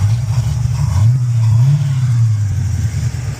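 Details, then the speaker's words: 1978 Chevy Monte Carlo with new oil pan gasket, after kinked brake line fix: deep, even engine note rising and falling smoothly with throttle, no knocks, ticks or misses; normal, healthy engine revving. "this motor sounds healthy. It runs great. No issues with it, so I'll just clean it up a little bit, clean up all the block and all that oil and stuff."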